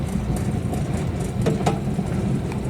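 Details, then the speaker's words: Whirlpool dryer after power fix, running: steady low rumbling drone with an uneven wobbling throb; the blower wheel (turbine) is completely loose, off-center and wobbling side to side. "está haciendo un ruido raro, así que nos vamos directamente a la turbina o al blower y miren lo que pasa con esta turbina. Está completamente suelta, no está centrada y tiene un baile para allá y para acá."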